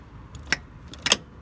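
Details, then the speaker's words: Land Rover Defender TD5 LT230 transfer box diff lock, formerly seized with a faulty warning light, after its stiff linkages were cleaned and freed: two crisp metallic on/off clicks half a second apart; clean, normal engagement. "That's what it's meant to sound like. On, off. It's working perfectly."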